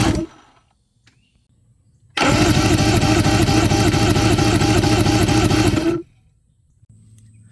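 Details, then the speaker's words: 1997 Evinrude 150HP two-stroke V6 outboard, sat 20+ years, cranking for compression test, readings about 92–105 PSI, within 10%: fast, even cranking with regular chuff, no misses; normal cranking and compression. "But anyway, good results on the compression checker test. We showed you all the different cylinders. I think low was about 95, 92, 95. High was about 105. And so everything's within about 10% of each other."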